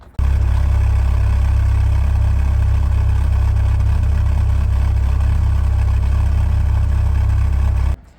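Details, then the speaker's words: Toyota MR2 Rev2 Turbo with a built forged 3SGTE (HKS 264 cams, hybrid turbo, Motec ECU, reportedly about 308 hp), warmed up at idle: a deep, loud drone with an uneven low pulse, a lumpy idle. "it's quite lumpy but that sounds it sounds amazing"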